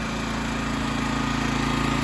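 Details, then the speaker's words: Honda EX1000 1,000-watt generator at about quarter load (250 W light) after cleaning a dirty main jet and opening it another half turn; even steady hum at constant speed, no surging or misses, running smoothly. "Seems like it's idling just fine."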